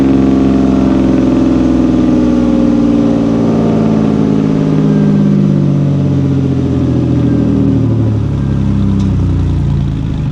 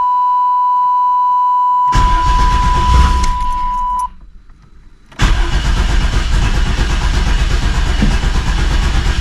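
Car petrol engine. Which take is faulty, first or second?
second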